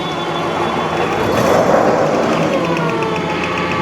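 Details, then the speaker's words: Toyota forklift engine running rough at start-up, with faint sharp ticks about four a second from spark leaking in the distributor; worn rotor and a missing carbon brush in the distributor cap were found. "You can hear the engine running rough. It's definitely not working properly. You can hear the engine. You can also hear the distributor misfiring."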